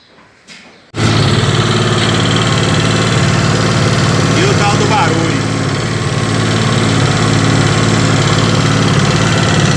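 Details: Comet 250 motorcycle, engine recently rebuilt and being run in, fast busy idle with a rough rattly bottom-end noise; cause unknown, engine to be disassembled.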